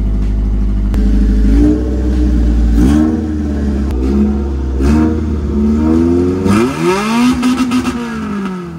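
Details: Jeep-type build with Toyota 4AGE redtop engine: loud, crisp revs climbing and falling through repeated blips, clean response with no misfire or rattle; normal free revving with loud exhaust.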